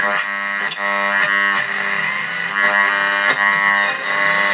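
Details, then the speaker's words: AWA Radiola Champion valve radio circa 1950, after replacing output transformer, three valves, power cord and re-gluing speaker cone: clear, steady music with no hum, crackle, buzz or rattle; playing properly. "new power cord there it is there and the radio is on and working"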